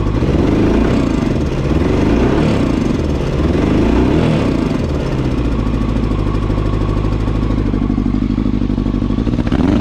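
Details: 2000 Yamaha R1 4XV, slightly warmed up before carburettor repair, running on only three cylinders: uneven, lumpy idle with stumbling beat and clattery edge; misfire from carburettors leaking air at loose inlet rubbers.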